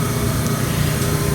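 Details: 1954 Mayflower oil-fired forced hot air furnace, judged safe and running fine by the tank installer: steady, even low roar with no surging, knocking or rattles; the oil burner fires cleanly.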